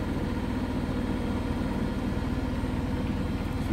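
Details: Biasi Riva HE boiler with a flashing red airflow-fault light, case off: low rough drone with an uneven throb of about two beats a second as the fan strains through water in the recuperator, putting the flame out.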